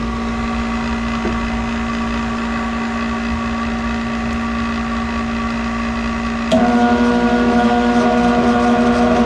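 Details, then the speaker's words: 1991 Snyder General dedicated-horizontal office furnace after new capacitor fitted: steady mechanical hum growing louder and rougher as burner lights, not much better; motor thought too far gone, blower motor replacement recommended. "Not much better. Okay, well, I'm going to recommend a blower motor, but it was a 1991 unit."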